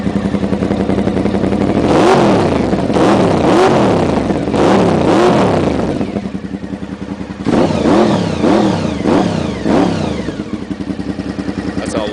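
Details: 1992 Honda VFR 750 (RC36 V4), about 60,000 miles, after carburetor boot vacuum leak fixed: quick rev blips climb and drop cleanly to steady idle without stumble; about 50% better throttle response, healthy.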